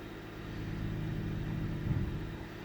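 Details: 1998 Ford Taurus SE OHV V6 idling with the hood open: uneven low rumble that dips and stumbles near two seconds. Sputtering and missing with mild rpm fluctuation; earlier swung 400-1000 rpm without warning lights. Cause not yet known.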